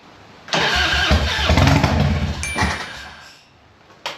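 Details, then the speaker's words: Harley-Davidson Evo 1340 Heritage, faultless over an 800 km ride, then run poorly after two weeks parked: fires and runs lumpy and uneven, stumbling for a few seconds before fading; smoke from carburetor afterwards; rough running, cause unknown. "All right, let's see if the bike starts. That's probably the wisest place to start from. [Music] Doesn't sound good, does it?"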